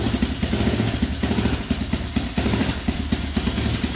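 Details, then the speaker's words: Used quad first start after fresh oil change, about 75 psi compression, no coolant yet, brief run: steady, even idle with light mechanical clatter, no misses or knocks; runs well. "Alright, as you can see, it runs pretty good."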